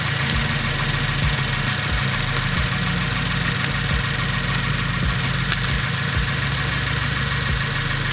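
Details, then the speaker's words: Subaru WRX (2015+) idling loud with rough rattly puffing and hiss of escaping air after fitting aftermarket J-pipe; exhaust leak at turbo outlet flange, soap bubbles confirm; fixed with copper gasket maker. "it sounds like some air escaping which means I'm pretty sure I have an exhaust leak"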